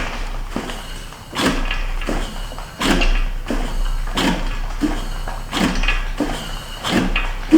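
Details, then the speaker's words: Hand-cranking one of the engines from a long-neglected Chevy C10 squarebody project: slow, rough scraping surges about once a second from rust grating inside a cylinder; rusty fluid shoots out, suspected from the back cylinder. "That one's moving. That one's moving. I hear the rust. Y'all hear it?"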